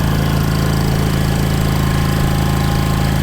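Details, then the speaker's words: 1960s General Supply 260 air compressor on a Kaiser Willys CJ2A engine, firing on cylinders 1 and 4 and compressing on 2 and 3, with a new electronic distributor and timing set by ear: uneven thumping, pulled down under compressor load. Timing possibly still slightly off. "It actually don't sound too bad, but it's unloaded right now. So once I get a load on it, it might just kill it. You hear it's pulling it down a little bit."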